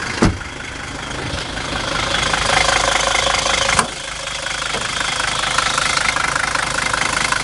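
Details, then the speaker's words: 1978 Mercedes 300D five-cylinder diesel with a new battery this spring idles with steady, even clatter and no misses or stumbles; it starts fine and the engine runs well. "but the car runs very good you know even binding just for the engine might be pretty"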